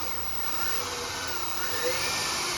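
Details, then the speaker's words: Fiat electric car, 12 V-activated controller, motor mounted to gearbox with no gear engaged: throttle applied via foot-pedal lever, smooth electric whir with faint rising whine, no grinding or clicks; traction motor running normally. "the motor revving up. And this motor is mounted to the gearbox."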